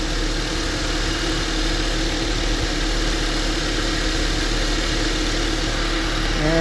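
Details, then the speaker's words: 2010 Honda Accord towed in as a no-crank no-start despite a new battery, now running after a blown fuse was found; steady, even idle hum, no knocks, misses or surges, no alternator light; normal idle; alternator suspected, wet with power steering fluid. "okay we got it cranked up and running no significant dash lights on it's particularly the alternator light don't see it anywhere"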